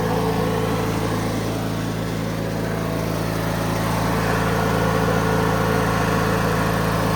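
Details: 2003 Craftsman (AYP) DYT4000 lawn tractor (hydro, electric PTO, GT5000 hood) running after restoration work, charging in the positive; strong, even drone with steady low beat, no misses or knocks. Normal running.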